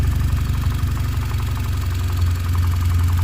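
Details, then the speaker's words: 2013 Cadillac ATS4 2.0L turbo, hard to start and running rough, at idle: deep, irregular, loping thump with skipped beats; fuel trims look good but the ECU is adding a lot of fuel; misfire cause not yet found. "our fuel trims look good you can actually hear it misfire"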